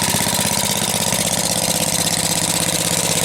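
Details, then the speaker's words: 1948 Briggs and Stratton WMB cold start and first run, bought at auction, with a clean replacement gas tank but old varnished fuel: the single-cylinder engine chugs with an even, quick beat of about two per second and no stumbles; a normal idle. "I'm surprised to started you can smell the bad gas in there there you have it too runs pretty"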